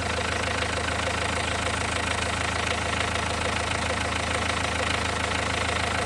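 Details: Renault 1.5 dCi diesel warm idle during leak-off test after injector no. 4 refresh (new Delphi valve and nozzle): light, even clatter about three ticks a second, no misses; no. 3 returning, 1, 2 and 4 clean, fix worked.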